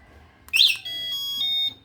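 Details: Uwinfly DF8 electric bicycle after fitting a replacement horn, switched on for testing: a quick chirp, then a steady high-pitched beep of about a second; the bike powers up normally.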